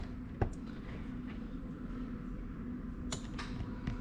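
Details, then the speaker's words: Toyota Celsior/LS400 1UZ-FE VVT-i 1998-2000 RHD manual standalone engine harness on the bench, 12 volts applied: a few sharp, isolated relay clicks over quiet room hum as power comes on; relays switching normally. "as you can hear the relay's clicking away there so let's get rid of that light"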